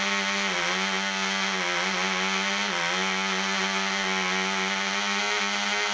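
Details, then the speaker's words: Black Widow mouse racer glow engine on first test run, 24% nitromethane, needle valve three turns out, high-compression head, 5x3 prop; high screaming buzz holding steady with slight pitch dips, running strong but rich. "that sounded pretty good run it rich one more time and then we're gonna turn it loose"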